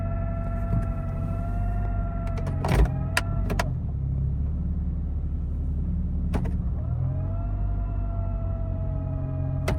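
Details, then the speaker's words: 2004 Honda CR-V automatic while driving, after replacing the transmission end cover and refilling with correct fluid to cure whine: steady low drone that follows road speed with no whine rising over it, so the transmission runs quietly and is fixed. "I think we did it I don't hear any whining so far now we should really be able to tell"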